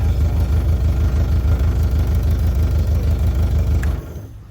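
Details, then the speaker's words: 60 hp Mercury 60 CT outboard, 150 hours, on a Powercat boat with a known fuel issue: spark confirmed good on all cylinders; low, lumpy, uneven beat about three a second across all cylinders, then cuts out – suspected fuel starvation. "Okay, so coil's not a problem. Cold, small, so it's got to be some of the fuel if it's all of them."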